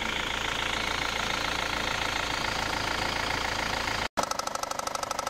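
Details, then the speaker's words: Engine idling smoothly and evenly with no knock after a new harmonic balancer was fitted; the faulty balancer had caused a deep bottom-end knock misdiagnosed as rod knock. "Now the next clip I'm just going to showcase the new harmonic balancer fitted and the difference in the noise."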